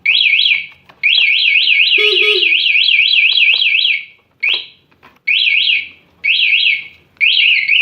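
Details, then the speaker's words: 2018 Honda Vario 125 eSP with an aftermarket remote alarm, armed and locked: loud, high warbling siren in bursts about a second long for up to 14 seconds, then it stops automatically; the alarm is triggered by the bike being bumped. "Senggol lagi, mana saja. Lebih panjang bunyinya. Sampai 14 detik. Otomatis mati."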